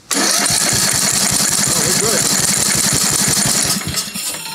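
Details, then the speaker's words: Craftsman LT2000 Briggs 17.5HP engine cranked on starter with compression gauge, old plug in: steady, even cranking about 3.5 pulses per second, no skips; reads 150 psi, healthy, strong compression; unknown whether ACR is releasing. "Oh, 150 pounds. That's nice. That's kind of a lot."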